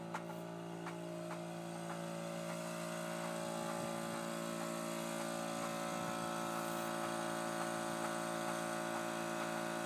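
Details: 2002 Intrepid petrol engine idling with a steady hum while a light, regular knock ticks over it, about three a second; cause of the knocking unknown.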